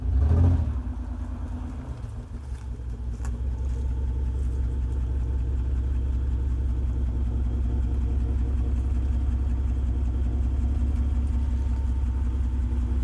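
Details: 1995 Mitsubishi 3000GT base model, V6 at idle: uneven fluttering exhaust pulse about four per second, no check-engine light, sometimes runs rough idling and driving; possible misfire suspected.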